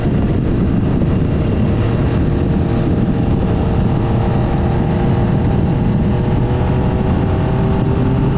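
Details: 1975 Triumph Trident T160 triple on first proper ride after full rebuild, dry but gale-force windy: steady, even engine drone under heavy wind rush, no knocks or misses; ran beautifully, though it smokes, exhaust manifolds leak slightly and hydraulic clutch leaked.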